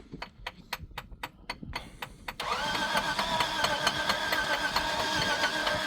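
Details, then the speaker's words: Off-road vehicle stuck on a snowy Chili–Didgori road during a rescue: starter cranks in a steady rapid beat about two a second without catching; tapping the starter was suggested, and the car was left behind. Crank no start. "მოკლედ გადავწყვიტეთ დატოვება არ იქოქება ეს მანქანა."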